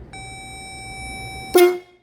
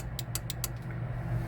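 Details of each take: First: Pittsburgh 12V twin-disc horn set, rated 113 dB with high and low tones, bench-tested off the battery of a Jeep Comanche. A clean, steady mid-pitched honk held about one and a half seconds. Normal horn operation. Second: Jeep Comanche with a faulty horn, before fitting a Pittsburgh 12V twin-disc horn set: four sharp clicks from the horn relay under the dash beneath the steering column and no horn note at all, so the relay switches but the horn is dead.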